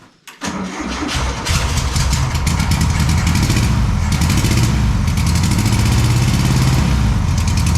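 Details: VW Super Beetle with rebuilt air-cooled engine, first start after install: quick crank, catches immediately and settles into a steady, even idle with a brisk regular beat; healthy start, may need some tuning.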